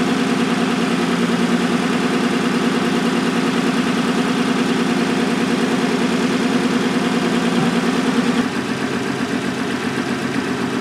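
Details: 2006 Toyota Solara (six-cylinder) idles with an uneven, lumpy beat about twice a second, a cylinder 1 misfire from a shorted ignition coil, diagnosed with an amp clamp on the ignition fuse.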